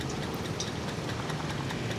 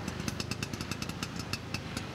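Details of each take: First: Vespa scooter that was stalled and hard to start, finally running after repeated attempts: low, light putter of the small two-stroke ticking over on its own; it keeps running, though the stalling cause isn't evident. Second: Vespa two-stroke after roadside points (platina) adjustment: steady quick tick with even firing pulses, no misses or knocks; engine running smoothly.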